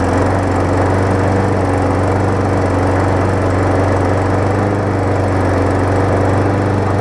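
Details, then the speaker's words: 2018 Murray big wheel mower with swapped-in engine from a badly worn mower, first start; single-cylinder runs steady but slightly uneven and lumpy; rough running at start. "as you can see it kind of ran a little rough to start just because I"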